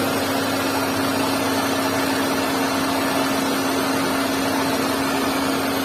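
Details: Hyundai Santro 1.1-litre engine running: constant mid-pitched hum over hiss, unchanged throughout; unexplained abnormal engine noise.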